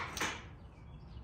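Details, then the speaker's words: 1985 Harley-Davidson FXRS after 5 years sitting, 12 V fed directly at starter relay: one sharp click then silence, no cranking; starter relay suspected bad, battery possibly too weak. "so once you hand that 12 volts it should turn it over but you can hear the starter clicking the battery may not be the strong enough to need this and this thing ain't started in a long time"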